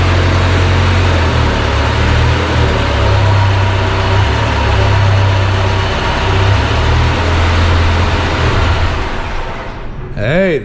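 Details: JLG 40G manlift engine after battery and wiring troubleshooting, first run: it idles steadily and evenly for about ten seconds with no misses or knocks, then a short chirp; normal idle.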